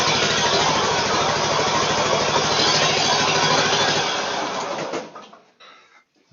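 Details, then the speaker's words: Kohler ZT740 V-twin (about 25–26 hp) on a Gravely Pro Turn 160 zero-turn, near idle, suddenly started running poorly: uneven lumpy chugging on one cylinder, then shuts off; left exhaust 240°, right 69°; engine also loose on frame (rattle). "And uh it it was running good and all a sudden started running poorly. Like it's only running on one cylinder."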